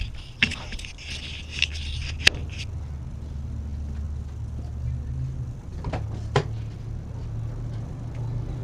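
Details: Nissan S13 SR20DET first cold start after installing an eBay turbo, IS-R turbo lines and an ECU-connected oxygen sensor: a few knocks, then it catches first try and idles steady, a little high while warming up, no smoke. Normal.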